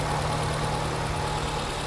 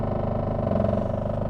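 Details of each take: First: 2010 Nissan Cube just after a cold start, engine coolant at 131 degrees, idling at about 1150 rpm with the O2 sensors reading slightly lean: a steady, even fast idle with a smooth low drone and no knocks, and the rpm drops as it warms up. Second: Nissan Cube on test drive, engine drone with fast buzzy rattle from the exhaust, exhaust work on owner's list; clunking also heard in front end.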